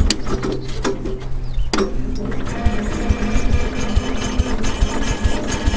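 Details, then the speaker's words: 1974 Cub Cadet with a 14 hp single-cylinder engine: catches after a brief crank and settles into a steady, even low thumping with no knocks; normal running. "up this Run's good how engage your"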